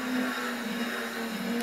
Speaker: old mate next door is renovating it's been renovating for quite some time now and I have no idea what that sound is but it's starting to really piss me off